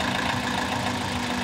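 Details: 2000 Toyota Celica GT 1.8L VVT-i with low oil affecting the VVT solenoid and cam phaser, codes P1315 and pending P0304: rough, unsteady idle with a dry valvetrain ticking from oil starvation; fixed by adding oil.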